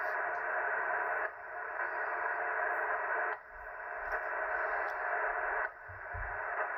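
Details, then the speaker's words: Ham radio receiving with Ryobi battery charger running, noise on all bands: steady loud hiss with rough buzzing texture and brief dips every couple of seconds. Radio frequency interference from battery charger. "And I think I have this noise on all of the bands."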